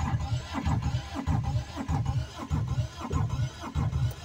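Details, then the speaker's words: Aixam microcar, slow to warm up: heavy, labored cranking pulses about every 0.6 seconds, deep and uneven, never catching; slow crank, no start, cause unknown. "nezinu, ko teikt sliktu, bet man nepatīk tā skaņa. Man nepatīk tā skaņa."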